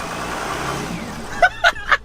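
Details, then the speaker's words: Mercedes E350 diesel after replacing the exhaust back pressure sensor, now out of limp mode: idle then three quick blips each bringing a short rising whistle; turbo spooling normally again for the first time since purchase. "I can hear the turbo actually doing something for once no way"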